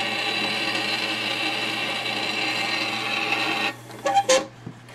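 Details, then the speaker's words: Teac Nostalgia GF180 turntable in phono mode, no stylus fitted: a steady raspy scraping over a low mains hum. The platter sits up on one side and drags on the stylus protector lodged underneath the turntable. "Nope, I see the problem. The stylus protector is underneath the turntable."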